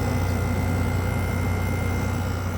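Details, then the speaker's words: 2017 Frigidaire 5,000 BTU window air conditioner FFRA0511R1, possibly dropped before, running with the compressor on: steady, even low hum with a faint refrigerant flow hiss, no rattles or knocks; running normally. "you can hear the refrigerant flowing pretty good and the"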